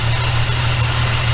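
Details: VY Commodore L67 supercharged engine, drive belt double pulley checked with a bar on the casing: steady low drone with a rough uneven rumble under it; worn pulley bearing, to be replaced.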